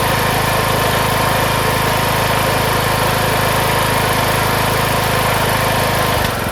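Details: Craftsman MTD T1600 lawn tractor, first start after camshaft and automatic compression release (ACR) replacement: loud, steady single-cylinder putter at constant idle, even beat with no misses or knocks; runs smoothly.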